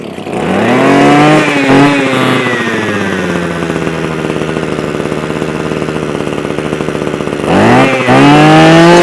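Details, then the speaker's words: Mountfield MM 2630 two-stroke multi-tool that only ran on choke or bogged after storage, now primed with fuel returning to the tank: it picks up cleanly off choke, idles steadily, revs crisply; normal running. "Right, so now, hopefully, this machine should run with no issues, theoretically. We'll choke it. So choke's that way, fire it up, off choke."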